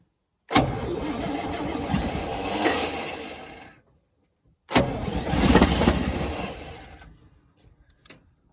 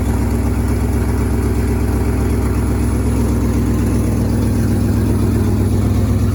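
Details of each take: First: 1963 International Loadstar 1800, first start in 20+ years, on 2-stroke mixed gas: two bursts of steady starter cranking, about four turns a second, and it never catches. Suspected lack of fuel in the carburetor bowl, not confirmed. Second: 1963 International Harvester Loadstar 1800 carbureted petrol engine, first run in 20+ years: steady, even low idle with regular firing pulses and no knocks or misses, sounding healthy.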